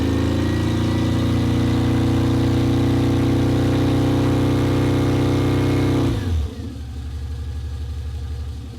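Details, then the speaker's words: Restored classic Mini, first start in two years after wiring mods, choke fully out: loud, even, raised idle running steadily while checking for leaks, then clean shutdown; normal cold start on choke. "Just give ourselves a bit of choke all the way out, that'll do."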